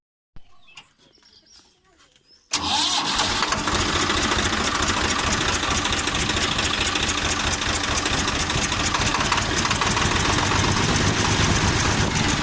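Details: 855 FE diesel that had engine noise and black smoke from a broken rocker bolt, after genuine bolt fitted; quick crank, catches and settles to a steady, even clatter with no stray knock; running normally.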